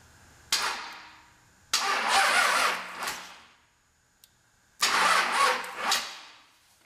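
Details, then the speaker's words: High-mile 5.9 Cummins 12v diesel with P7100 P-pump, sitting a while, fan removed: two short labored cranking bursts, starter turning slowly and never catching; slow cranking traced to a loose, bad battery cable/ground connection. "that doesn't sound very good. Maybe it's the battery."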